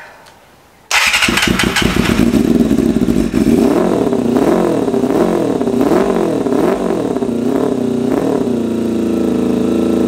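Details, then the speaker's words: 1988 Kawasaki ZXR250 first run on starting spray; catches after cranking, settles into an uneven, wavering, hunting idle, shooting flames; running ridiculously rich, owner suspects idle mixture screws set too rich at 3.5 turns out from bottom. "It is running ridiculously rich. Like, ridiculously rich. So, we're going to have to address that. I sort of had a suspicion that the idle mixture was set really rich."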